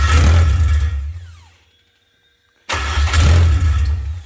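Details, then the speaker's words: K24-swapped MR2 on first start after a fuel pump swap: the engine fires and revs briefly, then dies, twice; injectors not firing is suspected. "okay guys so the problem we found out was that when I put rebuilt the fuel pump I crossed a couple wires on the connector on the fuel"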